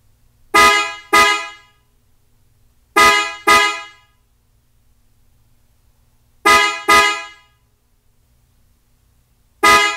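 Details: 2021 Toyota RAV4 with newly installed PIAA Superior Bass snail horns (300 and 400 pair) replacing the stock horn: pairs of short, strong, steady two-tone honks repeating every few seconds; horns sounding properly.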